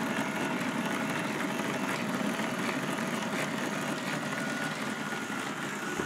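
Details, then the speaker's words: K'nex robot tape chain drive driven by a small motor, after an upper piece was added to the tension wheel to stop the chain bouncing: even whirr with light chain rattle, no rhythmic slapping; smooth chain drive. "i found out how to make it smoother i put this upper thing right here on the tension wheel and so it doesn't bounce up and down like it used to"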